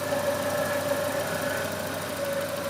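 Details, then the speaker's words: Volvo 240 idling after first start following water pump, timing belt, thermostat, B cam and Redblockpowered ECU/EZK work, coolant not yet hot: smooth four-cylinder idle with a thin steady "wee" whine and slight puffing; owner suspects an exhaust leak or possibly the fan; source unclear. "I definitely have an exhaust leak somewhere. I can hear it, but it's doing this little wee thing. I don't know what the hell that's all about. Maybe that's the fan."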